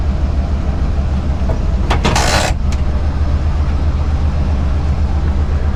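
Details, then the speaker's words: First-gen Dodge Ram 350 crew cab V8 just started and idling; deep, even rumble with no misses or knocks, just a brief bump of handling noise, so it runs healthy. "so let's see if it'll fire up there we go listen to that purr"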